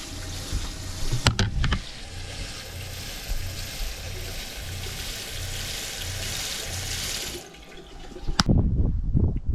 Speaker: So I just recently worked on the water system and I took off the accumulator, and I'll show you what that is in a minute, but I'll give you a demonstration right now. When I turn this on, hear the pump surging, and you can see the water flow here.